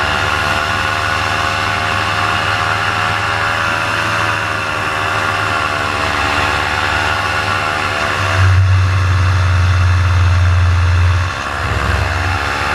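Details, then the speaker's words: Paramotor two-stroke in flight at full throttle: steady high buzz that sags and wavers as the RPM drops off and the engine bogs, losing power. The pilot heads in to land and check it; the cause is unknown. "And then coming up here shortly, you're going to hear the RPMs just start to drop down and start to bog, and that's when I realize, hey, something's up."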